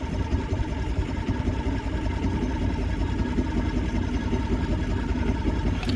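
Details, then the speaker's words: Vintage barn-find boat, first start in over 20 years, on the lake: choke on and fuel primed, it cranks steadily about six seconds but never fires; suspected not getting enough fuel up top, cause unconfirmed. "still doesn't see it's getting enough fuel yet yeah it's close"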